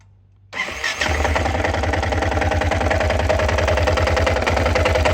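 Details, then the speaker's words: Yamaha XT 660 single-cylinder idling with an uneven, thumping beat of about 3–4 pulses a second, a possible misfire. Owner suspects crankshaft or clutch bearings; not yet confirmed. "O motorzinho parece que tá falhando, viu? Tá fazendo um barulho estranho."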